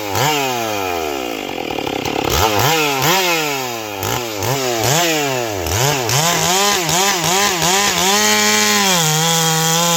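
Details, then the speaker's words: Ported Stihl 461 chainsaw after new Caber rings and repaired blown-out spark plug hole, cutting a log; revs dip briefly as the chain bites then climb back to a high, steady scream: normal cutting under load. "This saw rips. That's uh that's nasty."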